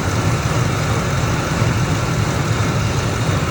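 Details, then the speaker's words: 2003 Expedition, 295,000 miles, V8 idling hot after about 4 minutes as the temperature gauge rises: a lumpy, uneven low thump and visible engine shaking; chirping normally appears at operating temperature but is not heard yet; cause unknown. "I don't know if you can hear it through the video, but I know you can see the engine shaking now."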